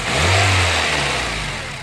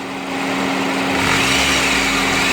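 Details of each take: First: 2009 Honda Civic EX with a new aftermarket AC compressor: with AC switched off the engine revs up and settles cleanly, no scraping, grinding or whining; with AC on the compressor clutch grinds loudly. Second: 2009 Honda Civic EX with a brand-new aftermarket AC compressor and clutch, AC blowing cold: quiet with AC off, then rough, raspy grinding from the compressor clutch once AC engages, louder as revs rise, stopping when AC is switched off.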